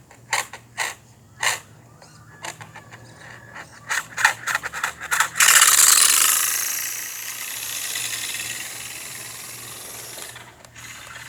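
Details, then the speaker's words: RC car: throttle applied but it doesn't move, with uneven rapid clicks then loud grinding; drivetrain gears skipping/ratcheting, cause unknown. "oh god i'm pressing the gas but it's not doing nothing that ain't good oh god oh my god something's wrong with it"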